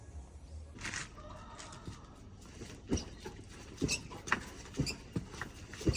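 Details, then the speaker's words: New 2025 Honda Sahara motorcycle, 359 km, suspension noise starting around 200 km: uneven dull clunks with short squeaky chirps each time the suspension is worked. "Tá fazendo barulho já. Moto 00 começou aí com uns 200 km já mais ou menos. Eu vou gravar aí, vou mostrar para vocês o barulho que ela tá fazendo."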